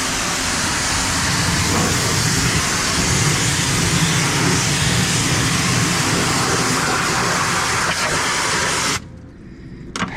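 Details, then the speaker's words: Paint sprayer pump running steady after air was purged from the line (air had entered when the water hydrant was shut off); loud, even rushing spray with constant pump note, no surging or sputter, then cuts off. "Do you guys hear it starting for water other than when I first started it? Nope. Not at all."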